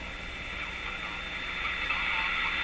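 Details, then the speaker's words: Electrohome Cosmic tube radio after IF transformer adjustment, tuned near 590 AM with volume high: mostly hiss, crackling static and thin whistle, hardly any station; weak noisy AM reception. "Boy, that's just terrible. Volume's up quite high."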